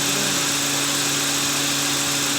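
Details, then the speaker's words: Toyota XLI AC compressor after pulley bearing replacement, engine running with AC on while gas is being filled. It gives a smooth hum and hiss, with no growl from the compressor; remaining noise comes from the engine. "आप देख सकते हैं compressor चल रहा है, कोई आवाज़ नहीं है कंप्रेसर की इतनी।"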